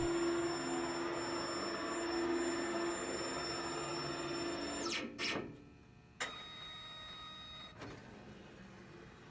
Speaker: The plat will move in and out and the carriage will park in the flushing position.